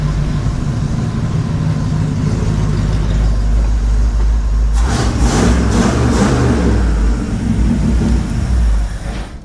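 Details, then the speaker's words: 1970 Ford F250 dually, 302 V8 after top-end rebuild: low uneven rumble, a brief unsteady surge, then dying away; the choke is killing the engine, so more carburetor adjustment is needed. "I got just the choke. It's killing itself."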